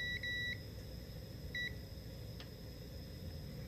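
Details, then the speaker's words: International 140 industrial tractor that won't run: a meter's continuity beep cuts in and out in short bursts as the corroded switch's loose soldered terminals make intermittent contact; the switch is to be bypassed with a hot wire. "switch is working but do you hear how it's intermittent that's because of those terminals being loose"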